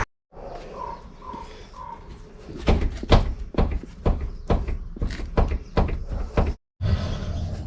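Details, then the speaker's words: Rocking the front wheel by hand on a 1999-2007 Chevy/GMC Silverado/Sierra truck gives bursts of dull low clunks, about two a second; blown control arm bushings let the arm shift. "okay actually now that I'm looking at it and hearing the clunk and the clunking is actually coming from these blown bushings"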